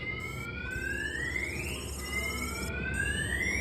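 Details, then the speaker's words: 1992 GMC Sierra 1500 Z71 with a Viper 5706V alarm, armed: shock sensor tripped, and the pager sounds rising electronic warning chirps. "it's even gonna warn you on here your shock sensor is going off so if you can't hear the truck at least you can hear this going off"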